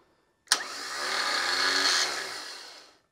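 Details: Car starter motor on the bench spinning freely with clamp meter on solenoid wire: sharp engagement click, steady high whir for two seconds winding down smoothly; peaked 8.9 amps; healthy starter.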